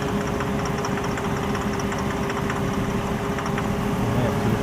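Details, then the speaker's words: 2004 Nissan Murano 3.5L setting P0340 cam position sensor and purge codes, stalls: uneven, lumpy idle with irregular dips, almost dies; cam sensor suspected, possibly two different problems, fuel still in tank. "See how it almost died."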